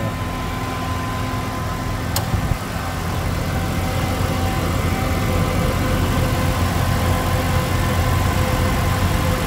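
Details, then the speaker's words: Mitsubishi Pajero Dakar V6 flex-fuel just started after a post-purchase service with timing belt replacement and cleaned TBI; the cold-start reservoir was filled with additive. Smooth, low, steady idle hum with no knocks or hunting; healthy idle. "E aqui está a usina de força V6 Mitsubishi. Vamos escutar essa melodia. Partida! Oh, máquina!"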